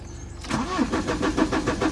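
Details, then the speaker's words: Audi A4 convertible with intermittent no-start, PRNDS gear indicator flashing: starter spins the engine with quick, steady cranking pulses but it never fires; cranks, no start, cause not confirmed. "I know when it's not going to start. I haven't tried it, but the PRDS, whatever, PRNDS is flashing. So I bet you if I crank it, it won't start."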